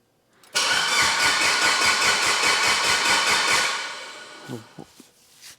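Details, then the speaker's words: Abandoned Evo 8 under restoration, crank sensor fitted, plugs back in, temporary wiring and fuel pressure regulator; starter spins strongly with even compression pulses but never fires, and no cranking RPM signal is read; cause suspected, not confirmed. "what come on dude why why why why it sounds healthy though plugs are back in she's definitely got some compressions"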